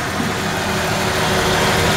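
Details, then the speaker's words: 1994 Ford F-150, 265K-mile motor, loping lean idle; steady idle with faint hiss as starting fluid sprayed around intake changes RPM, confirming a vacuum leak, suspected between throttle body and plenum. "basically all you're doing is praying starting fluid whereas before and the intake system here we go hear that difference in the RPM okay we know for a fact now there's a week"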